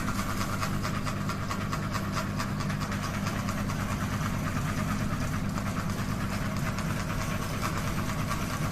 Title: Ceiling Fan Noise Rotation Wobble | Kipas Angin Gantung Bergoyang Berisik, #ceilingfan #kipasangin